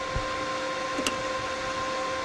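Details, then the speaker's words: Forney 20P plasma cutter, torch on 1084 steel with good ground, brand-new spare head; steady hum with relay clicks, no arc; dust and cobwebs inside; no arc from dirty, faulty torch. "you can hear it sounds like relays clicking but that's all i'm getting"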